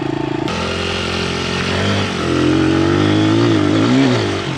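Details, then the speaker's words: Honda 100, manual clutch, newly fitted discount Amazon carburetor, test ride: small single revs up cleanly through the gears, pulling strongly and evenly with no bogging or spitting; runs healthy, slide adjustment still needed. "need some slide adjustments but I can already tell it's running way better all right going to go for a little test drive now running way way"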